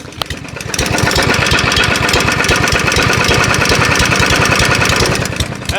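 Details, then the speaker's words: Junk mower's small single-cylinder engine run on oil, power steering fluid and jack oil; as it speeds up a rapid, uneven clicky knock rides on the exhaust beat. Internal knock, cause unknown. "it speeds up. You can hear it a little more. It's really clicky, really knocky."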